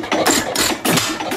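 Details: 2.5 hp hit-and-miss engine running after choke and lube: sharp puffing firing bangs every third to half second with governor clicks between, the uneven beat of a healthy hit-and-miss engine; runs nicely, normal.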